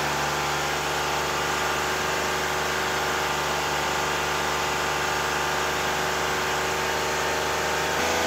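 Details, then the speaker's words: BMW E46 330i at a steady idle: a light, fast rattle from the intake side over the engine hum. The DISA valve was checked with a stethoscope and identified as the source. "I'm gonna drive her around today although the diesel valve is making a bit of noise I checked it with the stethosc"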